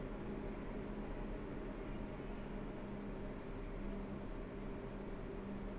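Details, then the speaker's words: MSI RX 480 Armor OC 8GB graphics card fans; quiet, steady airy whoosh with a faint low hum, no rattles, clicks or bearing growl; normal fan noise. "at this point let's go ahead and take a listen to Fan noise"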